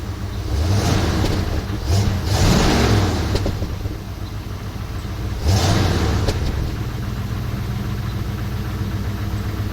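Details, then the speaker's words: Katy after vacuum leak and sticking EGR fixed, smog/cat deleted, short-tube headers, Flowmaster H-pipe and Super 40 mufflers: steady deep idle with two clean throttle blips, no misfire or stumble; normal idle and revving. "Well, so this is what she sounds like now."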